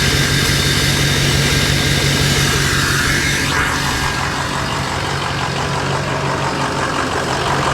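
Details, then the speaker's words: Rough RAM 3500 dually diesel at auction with the exhaust dumped under the bed: loud, steady diesel clatter at an even idle with no stumbling. It sounds healthy, with a little blow-by. "It seems to be running fine though. Sounds healthy. Blow by. Little bit."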